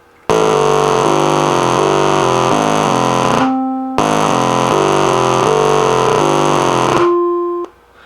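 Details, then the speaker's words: NuTone LA60 Concerto electronic musical door chime, over 30 years old: low background hum, then harsh buzzy distorted tones and clicks garbling the tune with some good notes; failing circuit board, not the speaker cone. "And what you heard something like out of a science fiction movie. All these weird buzzes and clicks and buzzy sounds. And then there's a note that sounds pretty good."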